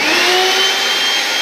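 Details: Mixer grinder from Dubai, brought in because it would not run. Its bottom on/off switch was faulty, and it runs on a temporary lead. A loud, steady, high-pitched motor whine with no stutter or rattle: running normally.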